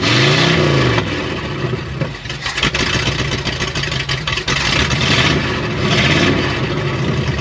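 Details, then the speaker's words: 1972 Oldsmobile 98 V8, first run after long storage, throttle blipped then settling back, firing evenly on all eight in the right order with no misses or popping; timing advance slightly too far, to be backed off and set with timing light. "it sounds way better than it did before though doesn't it it's definitely firing on all eight and in the right order"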